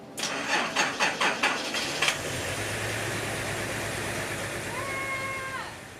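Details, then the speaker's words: 1978 Datsun 280Z, sat about 20 years, after two days fixing a burnt-out fuel pump, a sulfated battery (10.8 V) and gummed injectors: cranking pulses, then a low, slightly uneven idle. Rough running, cause not confirmed. "honestly it's probably not even running as well as it was then"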